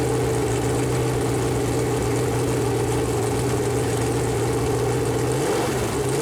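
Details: Freshly built Chevy Performance 454 big-block V8 on a run-in stand, first start: steady deep idle, brief dip near end recovering smoothly; normal idle.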